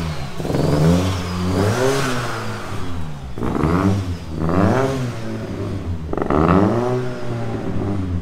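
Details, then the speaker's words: 500+hp Opel Astra GSi Z20LET turbo on second start attempt, slightly warmer but still cold: held on throttle it misfires and splutters, revs surging and sagging with no throttle response until warmed up. Cold-start misfire. "You can hear it misfiring, spluttering. No throttle response still."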